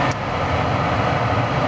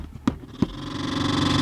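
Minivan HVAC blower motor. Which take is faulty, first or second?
second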